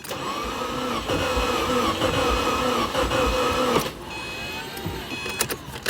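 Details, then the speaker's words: 2008 Subaru WRX bought non-running, first start attempt: starter whirs with uneven, sluggish chugging for four seconds, never catches; owner suspects low compression, possibly fuel or spark. Slow crank, no start. "Yeah, it sounds like low compression. It sounds like it wants to go."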